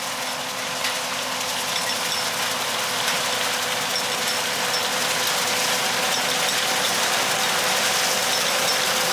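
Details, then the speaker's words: John Deere 9400 combine threshing double-crop beans, back running after loading auger gearbox repair: steady metallic clinking three to four times a second over the machine; a little bar on the 516 drill that tends to break. "that clinking nois you hear that is one of them little bars on that drill it's got a tendency the braak"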